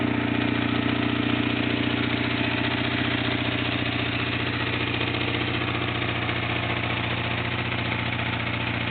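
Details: Restored 1997 Kawasaki 600 Eliminator with 2800 miles, which sat broken for 2 years; steady, even idle with a regular pulse of about 220 a minute and no ticks or stumbles, running sweet.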